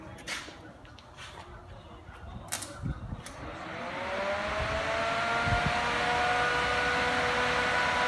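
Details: Freshly rebuilt 350 small-block Chevy for a 1980 Chevrolet Z28 Camaro, first start on a run-in stand before fitting, oil pressure gauge fitted: quiet, then catches about four seconds in and settles into a smooth, even, steady run; healthy fresh start.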